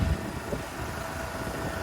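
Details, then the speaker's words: GMC Sonoma truck that had sat unused, idling with the AC clutch jumpered: steady low idle with a short click as the clutch pulls in; compressor engages and runs, though refrigerant is likely low. "Probably have no AC. I'm sure it's really low pressure, but the clutch and the compressor is working."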